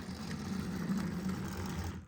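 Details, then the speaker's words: HO scale FUGgERth M41 model locomotive, bought working at an eBay auction, before servicing: faint motor whir with uneven gritty gear chatter; drivetrain sounds rough, needs cleaning and oil. Cause suspected, not confirmed. "as you can hear, it doesn't really sound great."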